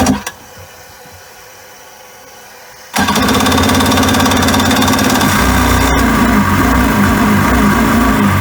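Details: 1996 Mastercraft Wetjet Duo jet ski, revived after years of neglect with the water box refitted: engine catches after a quiet pause and settles into a buzzy, even two-stroke run with no stumbling or bogging; running properly.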